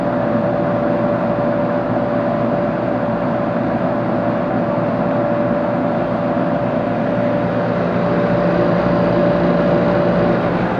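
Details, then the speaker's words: Walk-in cooler compressor after valve plate failure repair (both pressures had read equal), refrigerant recharged, TXV adjusting: constant even hum, no knocking or rattling; compressor sounds good, normal running. "Compressor sounds pretty good."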